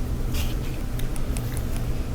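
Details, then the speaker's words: Electrolux dryer after repair for a loud rumbling noise, lint buildup cleaned from the blower wheel and reassembled: steady low even hum, no rumble, thumping or scraping; drum and blower turn smoothly, sounding normal. "so we tested it afterward it sounded really good"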